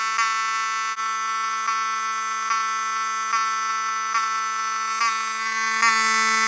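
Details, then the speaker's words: Cerberus Pyrotronics HSD-24 fire alarm horn (rebranded Wheelock 7002T), propped on a screwdriver for testing: continuous buzzy raspy tone with small dropouts about three times a second; sounds rough even after adjusting the rear screws to the best setting. "So, you can hear it's not the healthiest sounding, but it's um the best I can do for the time being."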